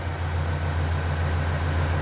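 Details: Diesel engine that sat for years, run after an oil change and filter service (6 filters, 10 gallons of oil): even, steady low thrum with a regular pulse and no misses or knocks; a smooth, healthy idle.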